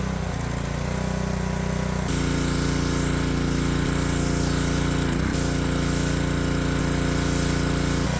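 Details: Power washer's small single-cylinder petrol engine, tested after the water was hooked up, pulls steadily under pump load with an even firing beat and no hunting or surging; normal running under load.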